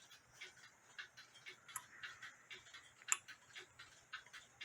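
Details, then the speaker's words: Nisshindo 100-day torsion/anniversary clock, plate 1469E, with a replaced suspension spring, heard through a beat amplifier: light, crisp ticks at a steady pace with nothing dragging or skipping in a quiet room, so the clock is running in beat. "as you can see the clock is ticking away and you can hear it ticking away with a B amplifier you probably hear it better than I do"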